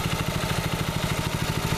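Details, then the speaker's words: Freshly reassembled water-seized Predator 6.5HP Honda-clone engine on a Baja Warrior minibike, break-in after rebuild, sitting level: steady single-cylinder putter, no misfires or knocking, really no smoke while idling. Normal idle. "So you guys can see idling, there's really no smoke."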